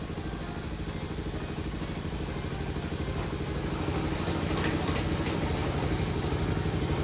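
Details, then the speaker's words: Old custom go-kart with Honda engine of unknown size, on jack stands with wheels spinning; starts right up and chugs evenly at a fast steady beat, slightly building, no misses or knocks. Normal running. "i'm just being on jack stands they want to spin right away but he starts right up so"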